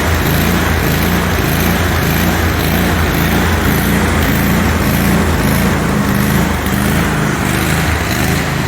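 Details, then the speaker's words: John Deere QuikTrak 652R EFI mower after replacing ECU and rectifier/voltage regulator, spark plug boot reconnected after running on one cylinder: steady even low putter at idle, no hunting or misses; running pretty good. "That's running pretty good."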